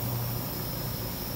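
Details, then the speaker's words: 2014 Nissan Versa 1.6 on lift, rear wheel spun fast: steady low droning rumble and hum with felt vibration; worn rear wheel bearings, both sides, though owner thought front; to be replaced. "so we have this 2014 Nissan Versa 1.6 so he came in for the bearing noise he thought it was the front"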